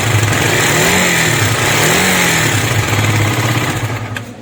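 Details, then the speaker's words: KTM Duke 250 single: rapid metallic clatter about three ticks a second at idle and revs; worn timing chain, tensioner and tappets. "आपने देखा इसके engine में से बहुत गंदी वाली नॉइस आ रही है तो इसी पर काम करने वाले हैं आज हम"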